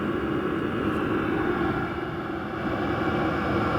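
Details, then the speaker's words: VEVOR 5 kW diesel heater exhaust with muffler, heard outdoors: steady even whooshing drone with no surging or popping; running normally, about twice as loud as a natural-gas furnace PVC outlet, the muffler making a difference. "The muffler does make a difference."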